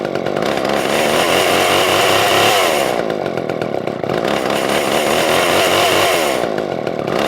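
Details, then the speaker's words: Older Poulan 2000 chainsaw after adding fuel and shortening the fuel line, which was tangled and not sinking to the tank bottom: revs surge and sag about three seconds apart, never holding steady; still fuel-starved, carb clean followed. "so i added a little bit more fuel into it and shortened that fuel line just a bit i think it was actually like tangled up on itself in there and wasn't able to sink to the bottom like it's supposed to or like float with the fuel so it wasn't getting the fuel like it needs to"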